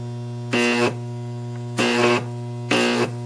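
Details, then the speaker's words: Deshunted large microwave oven transformer (MOT), no capacitors, first arc test: steady mains hum with three loud harsh buzzing bursts under a second each as arcs are drawn; very bright, strong, healthy arcing. "they're very bright they're way brighter than my Triple M sack just to give you an idea"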